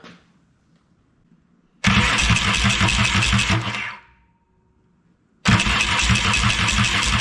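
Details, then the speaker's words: Yamaha XS650 after replacing weak starter friction clip behind clutch: clean quick crank with no grinding or gear clash, engine catches and runs; grinding starter fixed. "well that seems to have done the trick"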